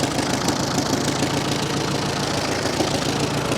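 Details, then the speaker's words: 1945 Farmall H tractor left sitting, after the plug wires were corrected, with the fuel tank possibly near empty from a leak: a low, soft, even idle with no clatter or misses; normal idle. "I'm sorry what that's it this thing is so quiet I didn't even think it was"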